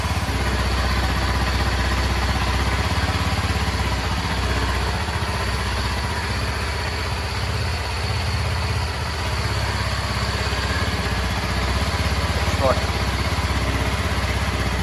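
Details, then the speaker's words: Indian-model Kawasaki KLX 230 at idle during a water-glass vibration test: an even, steady single-cylinder idle with a smooth low thrum and no roughness or rattles. There is virtually no vibration; healthy and running smoothly. "Like vibration test ಎಲ್ಲ ನೋಡಿದ್ರೆ ಅನ್ಸುತ್ತೆ ಹೇಳಬೇಕು ಅಂದ್ರೆ ಅಷ್ಟಲ್ಲ vibrations ಇಲ್ಲವೇ ಇಲ್ಲ ಗಾಡಿಲಿ"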